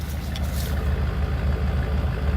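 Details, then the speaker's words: 1990 Dodge Ram van revived after about three years parked; quiet, deep even rumble at idle, no knocks or ticks, runs as well as ever; only fault noted is a loose power steering belt needing tightening; normal idle. "it's quiet but the power steering belts loose in it and that's that's pretty much it"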